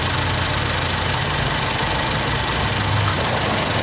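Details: Car started after a battery test showing good battery at 86%, 465 cold cranking amps; charging at 14.2 V with 17 mV ripple: smooth, even idle, steady low rumble, no knocks or misses; normal idle.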